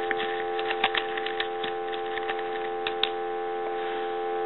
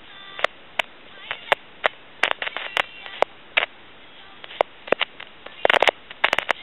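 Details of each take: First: Tele Concepts telephone handset on analyzer after noisy potentiometer was dealt with: clean steady dial tone with only light tapping from handling the board, no sizzling, crackling or popping; normal handset audio. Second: Tele Concepts telephone handset, with a potentiometer in the microphone feedback circuit. Irregular crackles and sizzling pops over quiet line hiss get worse when the pot is touched: a noisy potentiometer, which may be replaced with a fixed resistor.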